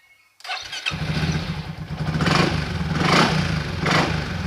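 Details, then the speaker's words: Yamaha XMAX 300 scooter after repair: cranks, catches and settles into a steady, even idle with no stumbling; previously hard starting and unable to idle. "ได้แล้วครับเดินเบาได้ปกติเหมือนได้ด้วยนี้เราได้แล้วนะครับ"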